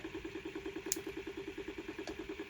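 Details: Homemade 3D-printed 5-pole magnet rotor with coil and Hall sensor on first run, drawing 13 V and 590 mA: steady ticking buzz, about nine evenly spaced mid-pitched pulses a second; source of the noise unclear.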